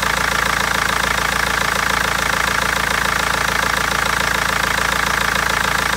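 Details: BMW 320d diesel at a steady idle with a sharp regular clatter near 170 a minute and an uneven misfiring beat; injectors or tappet suspected, but garage and seller have not found the cause in over a month.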